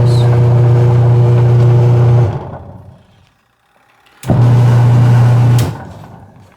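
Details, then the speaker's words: Washing machine running with impeller noisy and powerless: two bursts of loud, steady low drone with strained, labouring tone; belt found okay, gearbox found a little tight, suspected seizing gearbox. "what is the problem why it's noisy and the impeller or rotary blades is powerless when turning"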